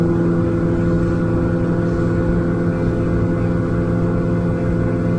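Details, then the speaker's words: Outboard boat engine at 5,100–5,200 rpm, trimmed and revved past the hard labouring drone until a clean zinging note comes in, a smooth steady drone marking the efficient fuel-saving cruise sweet spot; normal cruise. "That's the start of the zinging sound there, and that's 5,100 revs for my boat. If I go quicker, it'll just zing a little bit more. That's 5,200, and that's about perfect."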